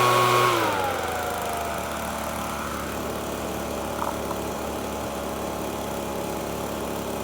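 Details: FUXTEC FX-LBS126P leaf blower (2018) that would not start, after replacing a cracked fuel intake hose: brief high rev drops smoothly to a steady, even buzzing two-stroke idle with no hunting or stalling; runs healthy.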